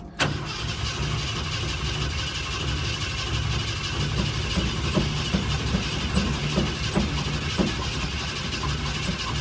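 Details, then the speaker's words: Ford F100 (Bumpside) cranked after about three months sitting, on a weak battery, with heavy pedal pumping: steady starter churn at about two and a half turns a second, never firing; cranks but won't start, fuel priming suspected, not confirmed. "It's gonna take a lot of pumping, I'm gonna assume. And I'm guessing we're gonna have to prime it with some gas. We'll give it a couple more cranks and then I'm gonna be done, because I don't want to kill this battery."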